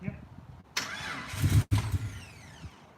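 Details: Rebuilt Jeep engine after injector reinstall, battery charged around 12.4 V: starter cranks in short uneven burst but never fires; crank no start, cause unconfirmed (starting-fluid test for fuel, suspected ignition box or clogged injectors).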